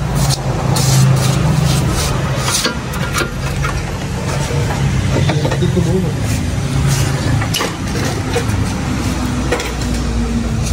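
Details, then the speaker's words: Mitsubishi Xpander, owner reports underbody clunking over bumps despite rebuilt steering rack: sharp irregular clunks over low engine hum when steering; tie rod adjuster found loose and retightened, rack itself tight. "Mình đã siết lại cái con chỉnh rotin đ các bạn cái con này nó bị lỏng nha Khi mà mình đánh trên lái nó sẽ va chạm như đây nó kêu"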